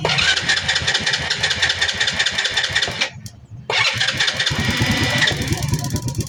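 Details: Motorcycle that would not start, with strong spark at the high tension wire, fires into a fast, buzzy run, drops out briefly, then catches again.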